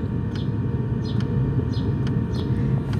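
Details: Nakatanenga mobile diesel heater box (5 L tank, about 40 hours) installed in a Subaru Forester 2.0 e-Boxer, 12V lithium supply, running on lowest setting: soft regular ticks about every half second over a steady low roar, normal fuel pump ticking.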